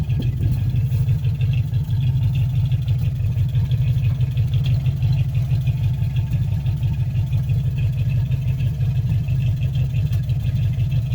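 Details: 1957 Chevy 5400 low cab forward with a swapped 1955 265 V8 and freshly rebuilt manual-choke Rochester 2G carburetor, started in winter. Steady, even idle with a smooth low rumble and no misses, stumbles or hunting; the engine sounds healthy.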